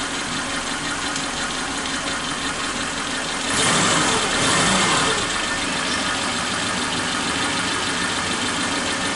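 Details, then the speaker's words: Suzuki Katana engine after replacing fouled spark plug, idle raised slightly: steady idle with brief swell then even beat, no skipping; vibration much reduced, normal idle. "Oke kita pasang kita Nyalakan lagi putarannya udah tidak seperti awal tadi ini sudah kecil getarannya"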